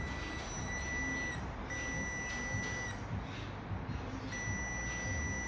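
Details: 2003 Subaru Forester 5-speed manual neutral switch (codes P0519/P1507, idle fluctuating on shifts) tested: steady high-pitched continuity beep in long runs with brief breaks; the new replacement switch is good.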